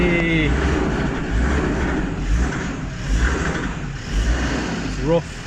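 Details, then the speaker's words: Land Rover Discovery 2 Td5 that broke down on the way to its MOT, run with the foot hard to the floor after a new fuel regulator was fitted: low diesel rumble swelling and sagging about once a second; running rough, and an engine light has come on. "where the noise which was not a nice noise but it's going again now I don't know why that was"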